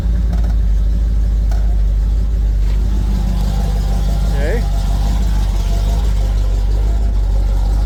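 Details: V8 tow truck idling after new coolant and intake air temperature sensors: loping unevenly, about one stumble a second, black smoke, engine shaking, about 33-34 psi fuel pressure; running rich.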